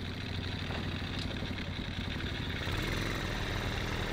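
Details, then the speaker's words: Long-abandoned 110cc pit-bike-powered Chinese go-kart, choke off, air filter on; steady, even low putter at idle with no knocks or misses, a little smoky and quiet, sounding healthy. "oh it's a little Smokey hey it's so quiet"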